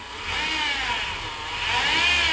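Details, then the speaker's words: 2017 Honda Accord whining noise from start, high whine rising and falling with revs, suspected accessory belt drive pulleys; belt to be removed to test whether noise is accessories or inside engine. "the customer came and he's complaining about a whining noise when he turns on the car so let's check it out you can hear the noise right away even when you accelerate"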